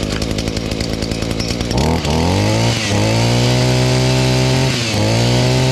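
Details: Echo SRM-230 string trimmer after new carburetor and clean-up; primer bulb barely fills but it catches, revs up and holds a steady high buzz with brief dips, running smoothly.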